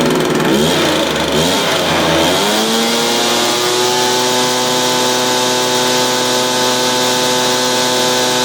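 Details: Stihl BR350 blower, formerly backfiring out the carburetor, after fitting the correct ignition coil to fix timing (knockoff coil was wrong); brief blip settling into steady, high-pitched even drone, no popping or spitting; running healthy.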